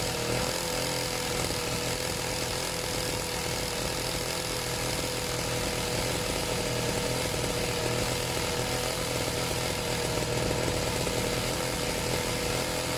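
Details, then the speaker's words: Serviced pit bike / mini moto two-stroke being set to idle on its own; loud, buzzy, fairly steady idle with constant high note; slightly smoky; normal idle. "I'm gonna just the idle see if I can get it idling on its own"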